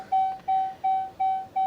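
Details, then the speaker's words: Dodge Charger after 12-volt battery was completely dead and recharged: crisp mid-pitched beep about three per second, five in a row, on a failed start attempt, with charging error and Uconnect service warnings; cause unconfirmed. "Well, hold on. I didn't hear it start. It didn't start."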